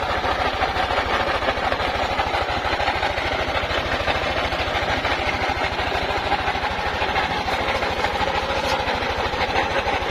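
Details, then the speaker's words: Yamaha NMAX 155 scooter idling with a loud, busy clatter over a steady low pulse that sounds like the engine is coming apart; owner first suspected the magneto, finding is a worn camshaft bearing in the head. "Pakinggan niyo po mabuti yung ating motor at nakakatakot po yung tunog niya para pong mabaklas na po yata yung makina"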